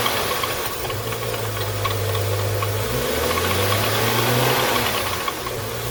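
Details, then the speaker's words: 2011 BMW 335i xDrive E90, N55 six-cylinder, idling: uneven rattle and faint chirp over engine hum; belts replaced early 2019 began squeaking once temperatures dropped in October; worn belts and tensioner/idler pulleys, before replacement. "it doesn't sound good right so i'm gonna get in there and change these belts now"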